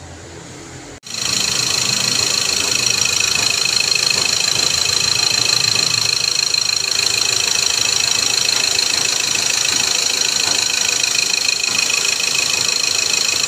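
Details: Second-hand Ford Ranger 2.2 engine, after fixing a leak, loss of power and blowby: settles into a smooth, even idle with a steady fine beat and no knocks or uneven puffing; healthy running.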